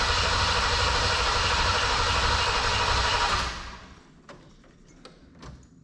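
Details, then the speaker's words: 1987 Chevrolet Camaro IROC-Z with fuel tank just reinstalled and good fuel pressure: heavy, sluggish cranking at about three turns a second for a few seconds, then it quits without firing; slow crank from a low battery. "okay good fuel pressure and a low battery let me uh grab my squirt bottle and we'll do that trick again"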